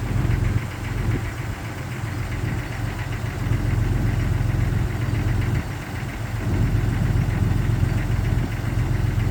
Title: 1999 Jeep XJ Cherokee Cold Start Piston Slap